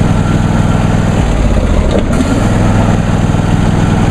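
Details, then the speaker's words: John Deere D130 lawn tractor, new, started on choke: steady, even low chugging at idle with no knocks, misses or rattles, much like an older MTD tractor with nearly the same engine; normal idle. "as you can hear it sounds just like my grandfather's older uh MTD hoson tractor which has practically the same engine"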